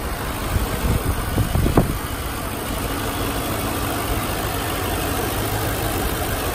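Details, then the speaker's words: 2008 Audi S4, about 66,784 miles: a few quick, clean throttle blips settling into a smooth, even idle with no knocks or rattles; engine sounds healthy. "I'm gonna try to give it a few revs here so we can catch the noise of the engine well is getting read now"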